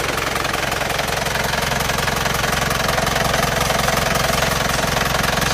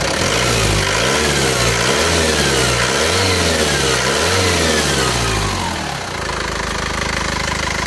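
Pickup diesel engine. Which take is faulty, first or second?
first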